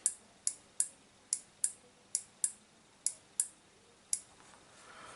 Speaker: that pink wire it's a drive to the relay which should drive from five volts from the Arduino and that that pot is 5 volts so if we touch that - there yep we get it rather we get it click